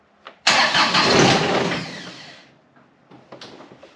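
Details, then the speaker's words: John Deere X758 diesel on a repeat start attempt after an air and fuel filter change: it cranks and briefly catches with a ragged roar that fades within two seconds. A stumbling, stubborn start. "Oh, it wants to. Boy, this thing is stubborn. And I know this engine likes its glow plugs."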